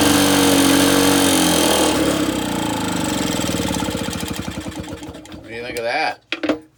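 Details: Reassembled Lawn-Boy two-stroke mower with a new gasket; choke open, automatic throttle, run on little squirts of fuel. Quick, even buzz with no misses, slowing and dying as each squirt burns off. Healthy engine, quieter than the Jacobsen.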